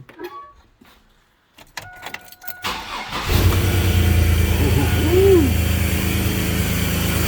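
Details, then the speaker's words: 2001 GMC Sonoma 4.3 Vortec V6, restart after rechecking timing at top dead centre and refitting distributor cap and plug wires (earlier no spark through cap, misfire code): brief crank, catches cleanly to steady even idle; normal start. "okay that's good sign now i can go ahead and continue putting everything back together"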